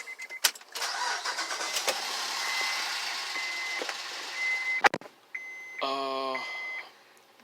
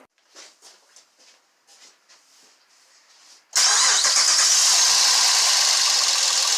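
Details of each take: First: 2007 Honda Pilot with code P2647, started after fitting a new oil filter. Steady, even idle with no knock or tick, and oil pressure now 24–27 psi versus about 9 before; the worn engine was run on incorrect oil viscosity. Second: Honda V6 with code P2647 (VCM) and misfire codes, cranking then firing into a harsh, tinny rattle caused by low oil pressure from incorrect oil viscosity and worn engine clearances; the rattle worsens as pressure drops and the check engine light comes on.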